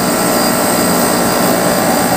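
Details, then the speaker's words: Non-inverter (fixed-ampere) portable aircon after no-power repair and power supply conversion, compressor running at 3.4 A on clamp ammeter, set to 22°C and cooling; steady even hum with whir and fan rush, no knocks or rattles; normal compressor running. "Hindi naman siya inverter eh. So, fixed ampere siya. So, tataas lang ng konti ang amperahe nito kapag mainit na o high pressure na siya."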